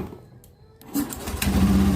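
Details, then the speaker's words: Honda Beat ESP fuel-injected scooter that stalled, after replacing the relay with a new non-original one: short quiet crank, catches and idles steadily and evenly; keeps running with battery disconnected, so charging is normal. "Nah, dia nyala. Posisi aki masih terpasang ya."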